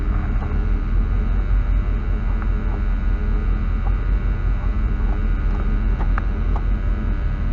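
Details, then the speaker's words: 1965 Ford Thunderbird Landau, running before its first drive after sitting over 15 years: steady, even low idle rumble with no knocks or misses, sounding pretty good overall. Normal idle. "Well, that sounds pretty good overall, truthfully."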